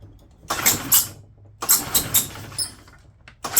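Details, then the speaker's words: 2008 Yamaha Drive G29 gas golf cart, fed from a small external fuel container: short cranking bursts with no catch; fuel pump drawing air, no fuel reaching engine, being primed. "So that pump is trying to pump air, it's not getting no fuel."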